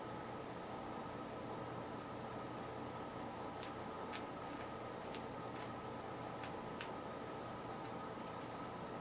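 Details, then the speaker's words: Westchester ignition bench test, coil wired to battery without a condenser: faint, irregular snaps, about five in several seconds, weak spark that only comes sometimes; owner suspects the missing condenser and the battery connection. Weak intermittent spark. "not having the condenser is going to give it a weak start I think it's the connection I got down here at the battery"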